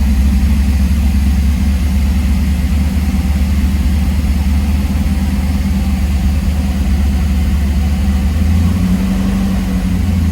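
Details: 1978 Trans Am SE with LSX/LS6 swap and FiTech, restarted after adding ATF to transmission, in shop: deep, smooth, steady V8 idle with even low rumble, no knocks or ticks; engine healthy and running well.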